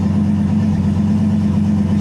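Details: Freshly rebuilt 5.3 LS V8 on E85 in a Nissan 240SX S14, first start in a cold shop, being put through the gears: smooth even idle with steady low burble, no ticks or knocks; runs healthy.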